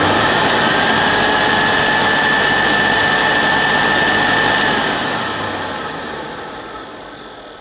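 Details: 1973 vintage Hoover Senior vacuum cleaner, two-speed 400 W motor, after fitting a new belt and LED headlamp bulb: steady, even high whine with a smooth rush of air, then a gradual wind-down after switch-off; runs healthily.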